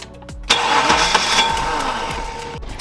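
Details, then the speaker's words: BMW E30 323i Baur, first start attempt after sitting 10 years: starter cranks about two seconds with uneven churning but never fires; no fuel reaches the cold start injector line despite power at the pump, so it needs a new fuel pump. "So we are getting power to the fuel pump. I've come to the conclusion that this car needs a new fuel pump."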